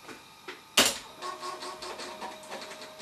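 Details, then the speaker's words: 20–30-year-old PC with failed CMOS/PRAM battery and hard drive not detected, booting from floppy: sharp clack then quick run of light, regular ticking as head steps and reads; normal floppy drive seek and read. "Machine is 20 or 30 years old and the floppy drive worked first time."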